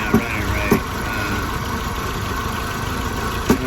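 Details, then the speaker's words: Audi A4 1.8T idling cold during thermostat replacement, being warmed to pull coolant through: uneven beat wavering and stumbling about every half second; rough idle, owner suspects coils or plugs, possibly throttle body or intake air control valve. "up she's running a little rough i need it to get up to temp so like it'll pull the coolant through the engine"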